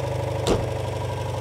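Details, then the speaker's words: 1985 Citroen 2CV6 Special barn find, two-cylinder, first start after sitting with electronic ignition set up: low even putter settling into steady idle with one blip and a bit of smoke from oil put down the cylinders; sounds healthy. "that sounds lovely there you go bit of smoke that'll be the oil that we put down it that sounds really nice yeah it does sound sweet doesn't it"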